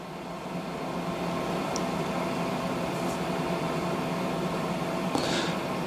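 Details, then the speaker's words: HCalory 8KW Toolbox 2S Plus portable diesel heater, switched off by mistake: quiet steady fan whir with no pump ticking or burner roar as the blower runs through its auto shutdown. Normal shutdown fan run-on. "the device is shutting down. do not uh power off. Yeah. So, it's going through its auto shutdown."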